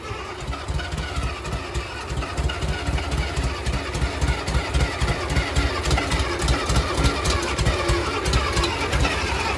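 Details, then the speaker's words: Farmall Cub 140 four-cylinder tractor, after sitting five years: lumpy, uneven idle with irregular low thuds about three or four per second; rough running, owner suspects it's running too rich because the carburetor leaks badly. "it's like it's burning too rich probably because that carburetor leaks so bad"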